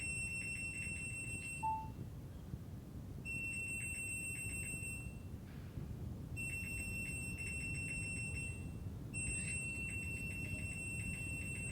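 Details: Front-load washing machine, about 4 years old, giving repeated high electronic fault beep bursts every few seconds; water on the control board causing the fault beeping, board removed to fix.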